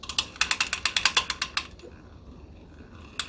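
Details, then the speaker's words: Shakespeare Spin Wondereel No. 1761 Model FB (1959) spinning reel: sharp rapid clicking, about ten ticks a second while winding fast, also at slow speed, stopping with the handle; pickup pin rubbing a dent in the housing, owner suspects centrifugal force. "it's only when you wind really fast it's almost like the what's happening is that this centripetal force is causing that pickup tend to fly out into the side of the"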